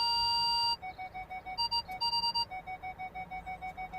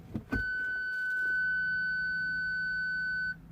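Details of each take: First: Ford Galaxy front parking buzzer after repairing the faulty speaker (fault B1B53): clear mid-pitched beeps pulse rapidly, rhythm shifting as someone passes in front of the sensors; working properly after the fix. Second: Ford Galaxy with front and rear parking sensors, fault B1B53 stored: engaging reverse gives one steady high rear beep for about three seconds, then silence; system shuts down, front speaker suspected faulty.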